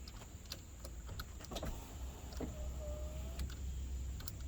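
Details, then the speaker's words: 2011 GMC Sierra 1500 SLE power window after cleaning and working the original switch: faint switch clicks, brief even motor whir with no straining or grinding; now works normally, earlier wouldn't move at all. "It's much better now. You know, these things weren't moving at all earlier today."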